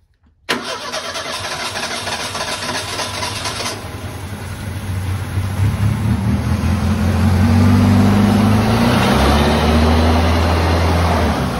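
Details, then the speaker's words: 1978 Ford Pinto cruising wagon, long-sitting, just revived: starts instantly, then climbs to and holds a fast raised idle with the throttle plates fully closed; a massive vacuum leak, with the PCV valve hose suspected. "so the way it was running it would run with the throttle plates completely closed completely so that means there's a massive vacuum leak somewhere"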